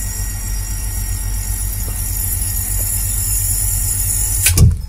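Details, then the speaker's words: Sanyo shallow-well water pump: steady hum ends in a sharp, heavy thump as it cuts off automatically, water hammer jolting pump and pipe, which shakes and can damage the pump. "Ya, kalau kamu kedengaran kayak suara hentakan dari mesin pompa ini, itu adalah water hammer."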